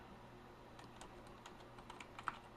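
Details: Rebuilt TRS-80 Model 12 keyboard after repair with all keys refitted; light, quick key clicks, each clean and even with no sticking or scraping, keys working normally.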